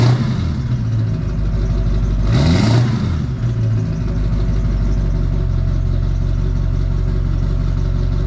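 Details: Duramax diesel after stainless steel exhaust up-pipe installation: steady, even low clatter at idle after a brief rev, smooth and regular; sounds healthy.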